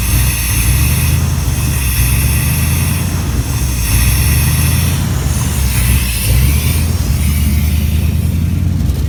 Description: 87 Chevy Silverado k10 350 reving up and down gain power loss power... but why???